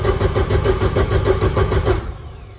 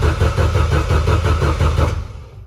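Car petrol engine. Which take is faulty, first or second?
second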